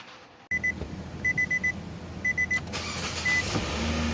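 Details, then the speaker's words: 2018 Nissan Sentra automatic that would not start because the brake light switch was disconnected, now reconnected: chimes in short groups, then it catches and settles into a quiet, steady idle; starts normally. "there you go now it works holy cow now i can buy my food"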